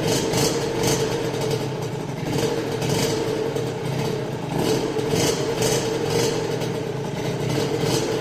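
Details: First start of a restored Rieju RV after an engine rebuild: the single-cylinder picks up and drops back in repeated blips, revving cleanly with a crisp exhaust and no knocking; healthy running after rebuild.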